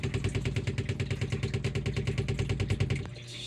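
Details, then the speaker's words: Sump pump drones with a fast pulsing beat, then cuts off with a sharp thud: water hammer from the check valve slamming on 1½ to 1¼ inch plumbing; a spring-loaded check valve will replace it. "We're getting water hammer in our check valve."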